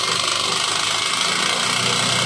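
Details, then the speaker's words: Neglected Euro 150 motorcycle engine, very noisy, with a raised idle: loud rapid metallic tapping. "may gagawin tayong isang Euro 150 ito napakaingay ng makina nito"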